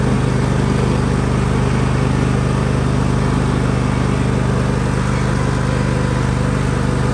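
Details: John Deere L130 lawn tractor hydrostatic transaxle, after topping up fluid (suspected low) and replacing the oil plug. It had been noisy and wouldn't move. Now a steady small-engine drone with only a faint mechanical noise, far more responsive. Owner feared the transmission was on its way out.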